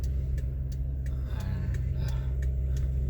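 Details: 2007 Toyota Highlander Hybrid, noise from engine bay only when revving fast, climbing hills or passing, not at gentle acceleration or in park: faint sharp tick about three times a second over deep engine rumble while climbing; cause undetermined.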